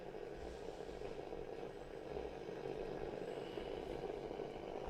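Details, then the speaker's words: Mid-1960s Hacker Sovereign 2 British transistor radio on medium wave: only steady rushing hiss, no station where 5 Live should be; FM works, AM (medium and long wave) dead, cause not yet found. "So let's try medium wave for a start. Well, I don't get much signal, and there's a lot of noise there."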